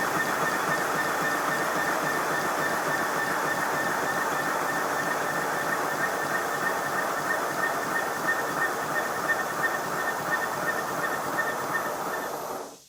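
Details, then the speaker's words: Simplex steam locomotive with the blast nozzle refitted: a steady high whistle rides over the exhaust and fades with it; an acoustic squeal from the blast nozzle, which with a tube fitted over it squeaked at high speed but not low. "Yes, it's definitely an acoustic problem. I fitted a piece of tube down over the end of the blast nozzle and ran the engine again. And this time it squeaked at high speed, but not at low speed."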